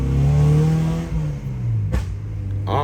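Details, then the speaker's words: Honda Civic SiR B16A freshly rebuilt with 81.5mm ARIAS pistons, maiden drive taken easy; revs climb smoothly and pull cleanly through a shift, no misfire, knock or stumble, feels more responsive than usual; normal acceleration. "we're gonna try to feel it like that and actually it runs quite good quite decent you know a bit a bit more responsive than usual"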